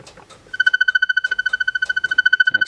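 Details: Ringer of an Automatic Electric Model 880 Executive Speakerphone, volume backed off slightly from loudest. A fast warbling beep at about twelve pulses a second with steady pitch sounds clean and even, a normal ringer tone.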